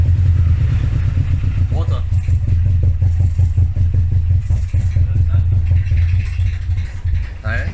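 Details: Nissan S13 200SX CA18DET just started after head gasket replacement (done for steam from exhaust): uneven lumpy idle with irregular thumps and stumbling exhaust beat, sounds like three cylinders; misfire.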